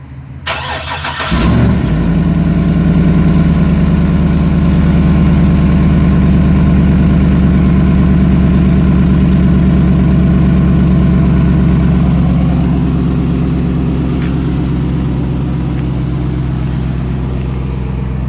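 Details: 2008 GMC Sierra 1500 Denali, L92 6.2L V8, cold start: cranks, fires, loud deep idle with rough puffing pulse from exhaust leak just before secondary catalytic converter; resonator deleted, axle-dumped exhaust.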